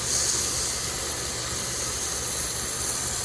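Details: Rotor (gear-drive) sprinkler head just installed to replace a leaking one, with its arc set to the left and the spray adjustment tightened. A steady, even hiss of water with no sputter, surge or grinding; the sprinkler runs normally.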